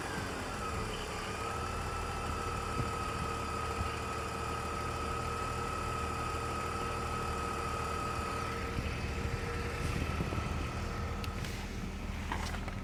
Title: E46 weird engine noise